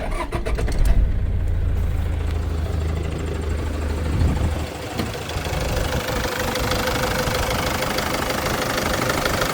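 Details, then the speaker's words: 2001 Toyota Land Cruiser Prado J90 3.0 diesel, 370,000 km, warm start: brief crank, quick catch, then a steady, even clattering idle; sounds normal overall. "But overall, it sounds very good. There's a warm start, not a cold start."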